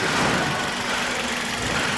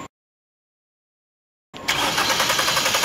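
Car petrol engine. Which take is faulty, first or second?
second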